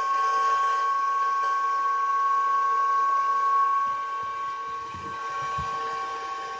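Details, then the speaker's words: Bitmain AntMiner S9 Batch 3 (12.93 TH) on an alternative PSU, shortly before reaching normal status after about 3-5 minutes: even powerful fan rush with one steady high whine, no surging or rattle; normal settled fan operation. "as you can see it's a it's a pretty powerful fan so it'll heat up your house real fast"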